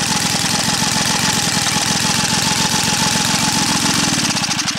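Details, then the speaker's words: Small gas engine after the sugar-in-tank test: rapid even popping exhaust beat about three to four per second with metallic rattle; engine undamaged, running normally. "There's nothing at all wrong with the engine. I'm pretty sure that this myth is broken."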